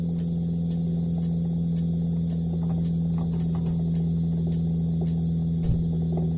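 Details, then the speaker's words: Narrowboat Alde boiler (2923/2928) after repair of an inlet pipe blown out by lighting it with the electric off. The ignition button is held down 30 seconds; sharp ignition ticks about twice a second over a steady low hum as the burner lights normally. "press it down actually hold it down for 30 seconds it's not easy in my situation you can hear it igniting"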